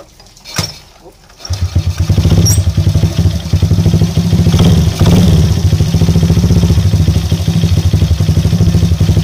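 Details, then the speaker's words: Motorcycle that was hard to start and ran rough (semput), after fitting a new spark plug, the old plug being the cause: starts after a brief attempt and settles into a steady, even idle; problem solved. "Oke geng Alhamdulillah masalah setle cuma masalah plak yang membuatkan motor ini susah hidup bila dia hidup pun dia semput"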